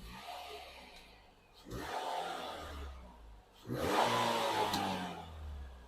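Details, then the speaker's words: Nissan Qashqai auction car with an intermittent noise that comes and goes; the owner is unsure of the cause. Two hard revs bring a thin squeal that rises with engine speed and fades at idle. "it's a bit grubby under there so I've got to get it all washed and gotta get onto that noise as well because it still does that well on and off"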